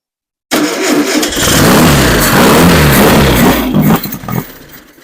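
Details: Rebuilt engine on its first start after months of rebuilding, hot-wired with the starter and a new battery and a reused fuel pump, tank roughly gravity fed: it cranks and fires unevenly in bursts, then dies. Owner suspects a fuel issue.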